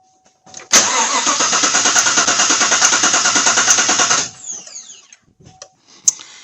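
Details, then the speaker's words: 2016 Chevy Silverado 5.3 V8 with code P0300, compression test, pedal held to the floor: strong, even starter cranking at about three beats per second, reading about 205–215 psi, enough compression. "yeah I would say that's enough compression"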